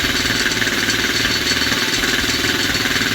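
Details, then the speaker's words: Odes Rider 8-125cc ATV four-stroke single, first start, cold: quick, steady patter with idle slightly high; to be rechecked once warm and possibly adjusted down. "Kind of get an idea of how it sounds and idles. And I can tell you, if you can get a good indication from here, the idle's just a little high on this right now."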